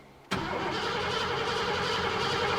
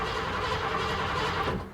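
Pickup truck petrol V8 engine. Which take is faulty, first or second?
first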